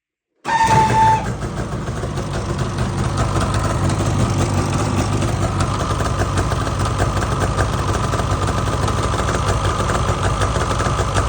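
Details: 2019 Polaris 850 two-stroke engine: starts and settles into a busy idle with a faint, fast ticking running through it.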